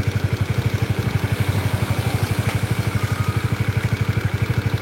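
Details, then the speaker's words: Honda CBR DOHC engine, warm, at idle: steady even clacking about four per second, very consistent rhythm, heard from the middle of the engine; regular mechanical knock, unlike the inconsistent noise typical of camshaft area. "konsisten banget suaranya ada suaranya konsisten banget udah keburu panas"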